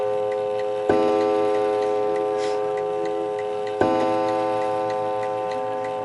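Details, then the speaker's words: Antique 1920 Napoleon hat mantel clock, strike set for 11 o'clock; two clean, ringing gong strikes about three seconds apart, decaying evenly over a steady tick: normal clock strike. "I'm going to let you listen to the strike to make sure it's all working fine. So it's set to go off at 11 o'clock, so let's try it at 11 o'clock."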